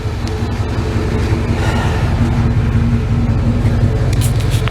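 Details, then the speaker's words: Old Chevy Tahoe, running after the starter and battery were replaced: deep, even engine rumble with a steady firing beat and no knocks or misses, under some road noise; engine runs normally. "And Monday, I had to replace the starter and the battery in the old Chevy Tahoe here. You hear that she's running."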